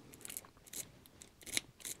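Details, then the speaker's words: Mid-80s Mercedes W126 S-class original ignition key going into the lock cylinder: light scratchy clicks and rasps with slight resistance; unclear if normal. The key is hard to turn, and the ignition switch or steering lock are suspected. "this this key when you put it in there is a slight little you know resistance sometimes right"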